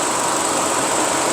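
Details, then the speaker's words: Engine idling after a universal fan thermostat was installed, coolant at 93°C. An even airy rush over the idle with no rattle or whine. Normal electric cooling fan running. "Look at the cooler temperature here. You can see it's 93 degrees Celsius. So we see when the fan goes up."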